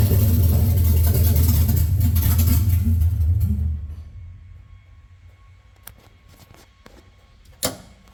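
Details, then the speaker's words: Coyote V8 swapped 2014 Mustang GT S197 on standalone harness, fuel pump ground left disconnected: even cranking at about three and a half beats a second for several seconds that never catches, then stops; crank no start. "may help if I put the uh fuel pump ground back on so let me do that then we'll crank it"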